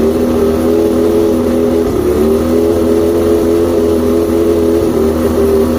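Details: Outboard after plugs checked, fuel pump and carbs rebuilt, trigger loosened, spark confirmed on all cylinders, still chirping: low idle hum whose pitch wavers and dips around 2 and 5 seconds; unsteady rough idle, cause not yet found.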